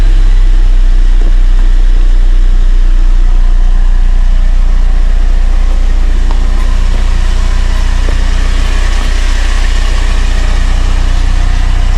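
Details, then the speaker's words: Car idling steadily with no metallic rattle from underneath after a loose undercarriage plate, the cause of the crackling, was temporarily secured. "so as you can tell, there's no noise. That's a nice fix, even if it's not permanent."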